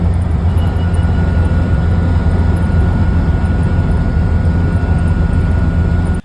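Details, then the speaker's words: 1997 Land Rover Defender 90 300 Tdi at about 110 km/h: a thin, steady high-pitched whine from the transfer box rides over a heavy low road drone. Fixed by a gearbox specialist. "it's a high pitched wine coming from the transfer box some will say it's normal but it's not it's just plain annoying"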